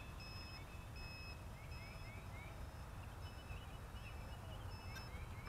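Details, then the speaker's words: 3D X6 multirotor with 6045 props at 4 minutes 52 seconds of flight: short high beeps about once a second over distant rotor hiss; battery low-voltage alarm warning before low-voltage cutoff. "we're at 4 minutes 52 seconds I just hear the uh low voltage alarm going"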